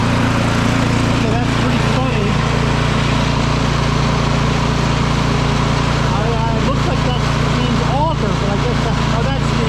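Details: Craftsman 24-inch electric-start snow blower that had sat with gas left in it, running after its clogged carburetor was cleaned: a steady, even single-cylinder chug that holds speed without surging or dying.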